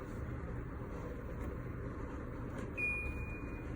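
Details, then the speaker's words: Medify Air MA-112 large air purifier at speed four (max): even soft rush of air like a big fan, no rattle or whine, one short beep; normal, not very loud. "speed here this is louder sounds like it's a big fan we're not a big fan that sounds like there's just air blowing even at level four with if I had my radio on in the background TVs I don't think it's very loud for this big boy"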